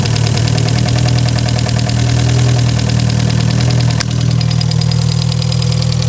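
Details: VW Polo, 1.6 EA111 engine, first cold start with the microphone at the engine: a steady, smooth idle with a light, fast tick about four a second. Hydraulic lifters tapping; a possible exhaust leak is also suspected.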